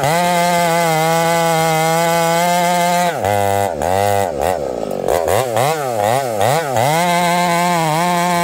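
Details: Ported 371 XP chainsaw with new coil after carb mixture adjusted (was too rich): holds steady high rev, then warbles and surges, revs dipping and climbing; carburetor issue suspected.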